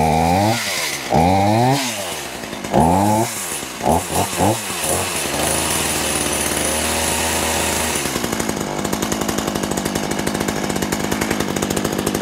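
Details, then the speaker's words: Poulan Pro two-stroke chainsaw, owned about 12 years, on 50:1 synthetic oil mix, cleaned up for a new season. Several rasping cord pulls, then it catches into a fast, even buzz: "that don't run too bad," running healthy. "oh that don't run too bad"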